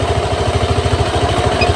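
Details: Honda Vario 150 injected scooter after throttle position sensor adjustment, idle set to about 1500 rpm, engine still warming at 42 °C: even, steady thumping fast warm-up idle with no misfire, rattle or hunting; healthy.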